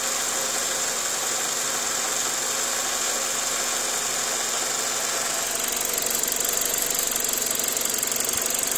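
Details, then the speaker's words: 2000 Ford Focus with a vibration complaint and a code read at AutoZone, after its mass airflow sensor was cleaned. A constant idle hiss with a faint, uneven light tapping or knocking underneath, about three per second, somewhere down in the engine; cause unclear. "I don't know if you can hear his pass almost sounds like a tapping or a little knocking down in there somewhere"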